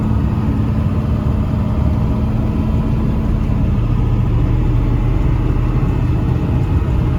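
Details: 1995 Ford 7.3 Powerstroke diesel truck, roadworthy again after 10 years sitting: steady even diesel rumble with no misses, knocks or rattles; engine healthy and settled.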